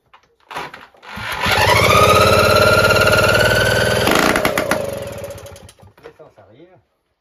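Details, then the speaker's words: Solex moped two-stroke engine, rebuilt with new piston and cylinder after seizing from running without oil, first start with the jet removed: catches, buzzes to a steady fast beat for about three seconds, then winds down; normal start, fuel leaking everywhere. "a démarré ça a bien couler de partout"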